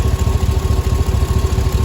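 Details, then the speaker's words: 2005 Cadillac Escalade 6.0 LQ9 V8 idling after head removal, valve job and lifter replacement: even, steady low burble with no lifter tick; much smoother than before, slight exhaust manifold leak from broken/missing bolts. Normal idle. "sounds pretty good a lot smoother than it did before i don't hear that lifter anymore"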